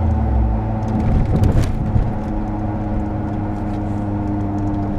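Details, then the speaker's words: 22-year-old car with 150,000 km, cruising: steady low droning roar under road noise like a distant plane, rising and falling with vehicle speed; worn wheel bearing. "this typical noise rise proportionally to the speed of the vehicle rising while it's taking speed and blower as it's flowing down"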